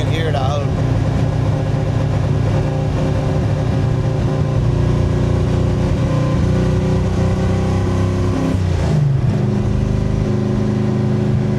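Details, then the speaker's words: 1965 Grey Ghost V8 with Anderson N91 camshaft, driving: lumpy, stumbling beat with one cylinder dropping out; recurring misfire that keeps coming back, owner suspects a leaking cylinder or valve guide oiling and fouling a spark plug. "I can hear a misfire already I hear a cylinder that's down defin [Music] Ely [Music] yep you can"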